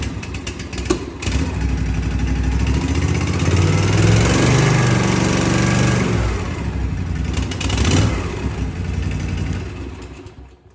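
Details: 2023 Cub Cadet ZT1 50-inch mower, Kawasaki FR691V engine, after throttle cable replacement (746P06892): catches, runs up to a steady even speed and settles smoothly without misfires or knocks; running normally.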